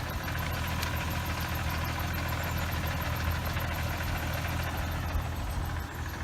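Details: 2006 Hyundai Tiburon 2.7 V6, 6-speed manual, after replacing the lash adjusters, timing belt and water pump: steady, smooth low idle with the clutch pedal held down. Throwout bearing chatter goes away completely with the pedal pressed.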